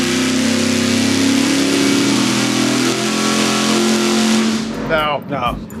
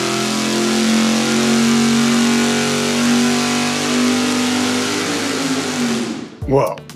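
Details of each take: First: Roughly 500 hp engine on a dyno fed by a 20 gallon-per-hour mechanical fuel pump: screams through a long full-throttle pull, then stumbles and cuts out at the top as the bowls run dry; lean fuel starvation at high rpm. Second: V8 on engine dyno with budget mechanical fuel pump, full-power pull: strong, even roar held under load, winding down cleanly; no lean miss, fuel pressure about 6.7–6.8, dipping to 6.2, ending 6.4.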